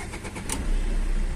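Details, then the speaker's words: Tata Vista diesel with fault code P0193 (low fuel rail pressure) and a starting problem, restarted after fitting a filter and fixing a pressure pump fault: a short crank, then the engine catches promptly and settles into a steady, even idle. "तो आप देख सकते गाड़ी तो start हो गया है फिर से बंद करते हैं और फिर स्टार्ट करते हैं"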